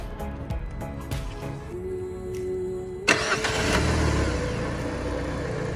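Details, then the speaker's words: Peugeot 206 with newly installed 206 RC engine, first morning cold start: starter cranks briefly, engine catches cleanly and settles into a steady even idle with no extra noises, no check-engine light; healthy stock-sounding start. "ماشین بدون کمترین مشکل استارت خورد. صدای موتور کاملا به صورت فابریک و بدون صدای اضافی."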